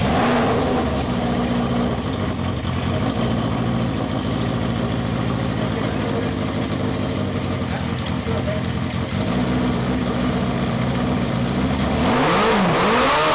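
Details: Cafe scrambler motorcycle running for the first time in 21 years after a carb rebuild and rewiring, with the silencer insert removed. A loud, raw open-pipe bark with a steady pulsing idle and a few throttle blips.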